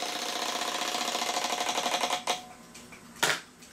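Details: Seth Thomas kitchen/parlor clock dated 1918, with a stiff alarm trigger lever: a fast, even buzz from the alarm hammer running freely away from the bell for about two seconds, then stopping; the alarm works normally.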